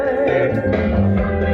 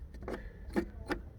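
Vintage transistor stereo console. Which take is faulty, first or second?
second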